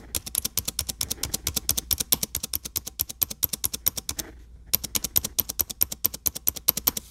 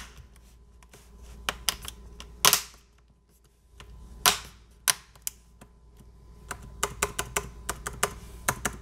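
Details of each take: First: Dell XPS 9570 laptop, microphone near the keyboard: fast repeated spacebar presses, each a sharp click with a thin squeak on the right side that doesn't happen every press; squeaky spacebar being diagnosed before the fix. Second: Dell XPS 9570 spacebar after the squeak fix, key reseated on its metal bars: crisp, separate key clicks and taps with no squeak or rubbing, nice and quiet.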